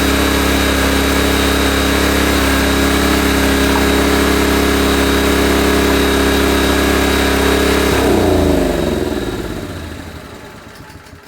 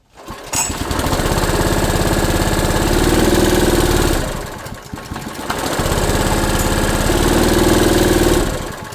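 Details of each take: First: Honda EB1400X generator, carb believed never removed, restarted on choke and warming up: single-cylinder runs smooth and even at steady pitch for eight seconds, then winds down cleanly at shutdown; engine runs good. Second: Honda EB1400X generator with an electrical load plugged in, choke off: the single-cylinder engine labours in low heavy surges and will not come up to governed speed. Bogging under load, cause unknown.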